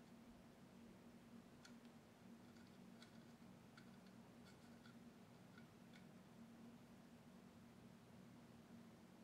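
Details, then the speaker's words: Western Digital laptop hard drive that won't boot, opened with lid off and powered up: faint sharp ticks in irregular clusters over the platters' steady hum; click of death, head suspected sticking. "I had the terrible Click Of Death that you get when your hard drive is trying to find a certain layer or sector and it just the head just sticks"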